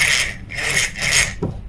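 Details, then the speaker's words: Daiwa 1000X spinning fishing reel, Japanese-made, turned by hand at initial inspection: a strong, rhythmic, dry rasping grind with each handle turn, rising and falling with spool oscillation, from a loose cross-wind block screw catching the gear. "صوت صوت قوي مصدر الصوت مجهول"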